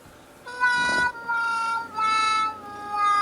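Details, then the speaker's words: Used Sony MDP-555SA LaserDisc player, bought cheaply and sold as working, trying to spin up a disc: wavering, high squealing tones in bursts from a rough drive mechanism, then it stops. It does not play. "Pretty noisy. And stop. So this player does have a problem."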